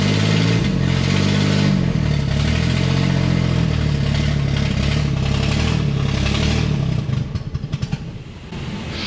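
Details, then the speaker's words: 1969 Corvair (paperwork says 69) air-cooled flat-six, unrun for years, exhaust leaks: uneven, loping idle stumbling toward the end, nearly stalling; idle mixture suspected off, ran better at earlier screw setting, idle speed to be raised. "ran better where I had it I adjusted him without it [Laughter] running we're going to raise the idle I know that much"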